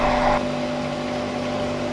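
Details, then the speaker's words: 1 HP 2800 rpm monoblock water pump motor after bearing and mechanical seal replacement, running unloaded on the ground with screws not fully tightened: steady even hum with faint rattle from loose mounting screws; normal. "यह motor पूरी तरह से fit है, लेकिन खाली चलने के कारण इसमें से थोड़ी सी आवाज आ रही है। इस पर कोई भार नहीं है और हमने इसे जमीन पर ही रखा है।"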